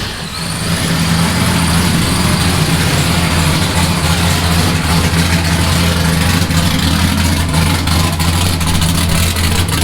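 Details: Nissan S15 with newly built exhaust fitted, nitrous install in progress: steady, even idle with a deep, smooth exhaust drone and no knocks or misses; engine sounds healthy.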